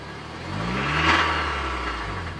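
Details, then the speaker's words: 2010 Mitsubishi Lancer GTS, 4B12 petrol engine, which had suddenly stopped, restarted for the first test: revs rise and settle with a rough, clearly abnormal knocking clatter. "n'est vraiment pas normal donc on entend clairement le claquage alors que le véhicule et toi"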